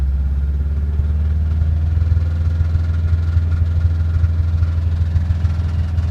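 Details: Subaru Impreza WRX with EJ205 boxer engine at idle: deep rumble with a dull, fairly regular knock about two to three times a second; internal engine knock.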